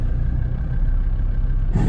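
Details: Land Rover Defender TD5 diesel that stopped starting, before injector seal change: deep steady churning on the starter that never catches or picks up speed; cranking, no start, cause unknown (injector seals later found fine).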